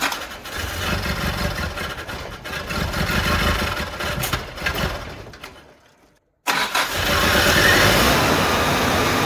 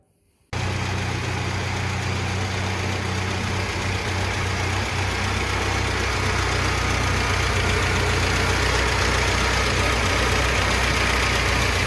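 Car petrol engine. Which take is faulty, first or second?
first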